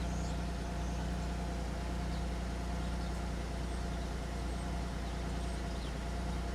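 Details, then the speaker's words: 2003 Pontiac Grand Am after the misfire repair, codes cleared, coming down to idle speed: a steady, even, low idle hum with no stumble; misfire data show all zeros apart from a brief count on cylinder 6. "I saw 6 had some there for a second. I think she's trying to come down to idle speed. It's all zeros for the most part."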